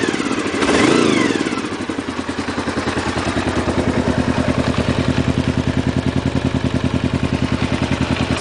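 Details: 1992 Honda VFR 750 V4, about 60,000 miles, throttle slack tightened, carbs reworked: sharp throttle blip then crisp even idle with regular firing pulses, no misses; runs healthy, throttle rolls on rather than snapping.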